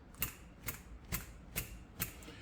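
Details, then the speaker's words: PCV valve from 2023 Nissan Versa SV 1.6L HR16DE shaken by hand after being cleaned twice with degreaser: five crisp, sharp clicks about every half second, clearly different from before cleaning; free-moving check ball, normal click. "I think you will agree that there is a distinct difference between the click when we first took it off the vehicle and what it sounds like now after we cleaned it 2 times with degreaser."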